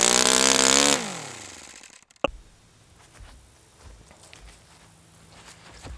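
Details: Saito FA-100T twin model engine, brand new customer engine on test stand during break-in runs, warm; about a second of crisp, even high-rev running, then winds down smoothly to a stop; normal running.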